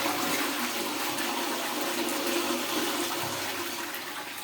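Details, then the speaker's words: Pneumatic cistern with dual-button flush where the small button fails: big button gives a strong, steady rush of water fading evenly; normal full flush and complete drain. "यह full drain कर रहा है"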